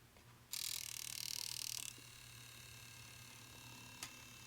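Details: Nintendo Wii RVL-001 optical drive with no disc loaded; short high whirring spin-up, then faint irregular clicking about four times a second, gears not moving properly: optical drive gear failure.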